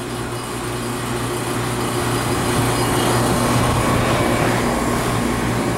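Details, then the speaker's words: Scroll compressor unit low on refrigerant: steady compressor hum with fast light rattle about four per second, check valve chattering open from low refrigerant flow. "the check valve rattling because it doesn't have enough refrigerant flow check valve open"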